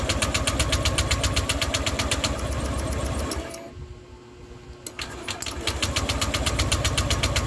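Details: Honda Click 150 scooter, hard to start. Steady rapid ticking at about four per second sags and dies mid-clip, then picks back up, diagnosed as loss of compression.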